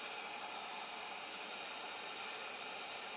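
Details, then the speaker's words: Missouri Wind and Solar DC thermostat (140-degree shut-off) on a 1.3 kW solar PV direct water heater, about 104 V at 8 A: faint steady hiss with bright blue arcing across contacts that cannot open, current keeps flowing. "It's keep on arcing. So here we go. So you can hear it's arcing, and see the blue arc in there, but it's not shutting off. It's just unable to shut off."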